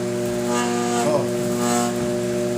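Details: Brastemp microwave making noise and not heating: loud, steady electrical hum with a buzzy edge from a faulty magnetron; magnetron and diode replaced.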